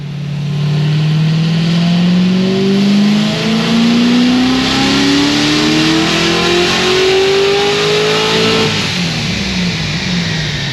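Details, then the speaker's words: Supercharged LS7 with LSA/GXP setup on the dyno, about 11 psi boost, 10 degrees timing, around 810 hp: wide-open pull turns ragged and uneven near the top though data log looks perfect; valve float from a broken valve spring. "8 10. this thing sounds like it's doing something [ __ ] weird really up high and I don't know what it is and the data log looks perfect"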